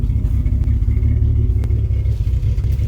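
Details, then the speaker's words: 1989 Jeep Cherokee XJ, 4.6 L stroker I6, after installing a Flowmaster 50 Series Delta Flow muffler, heard from outside: deep steady exhaust rumble with a slight aggressive edge, no rattles or leaks; healthy exhaust note. "got a little bit of anger to it. Not quite that angry, but it's got a little bit of anger to it."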